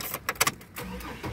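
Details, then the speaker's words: 2004 Chevy Trailblazer LS, 4.2 engine, 171,463 miles, after a leaking loose gas line was reconnected: starter clicks, then it starts right up and settles into a steady, even idle with no misses. "oop started right up i think that sounded like that"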